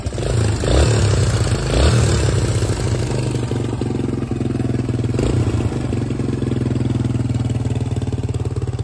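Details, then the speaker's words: 2005 Suzuki DR-Z 125 air-cooled four-stroke single idling after cam chain tensioner adjustment, two short blips: faint light clatter over steady thump, much quieter than before. "I don't know if you guys will be able to hear it but still a little bit of clatter but it is a lot wider than it was"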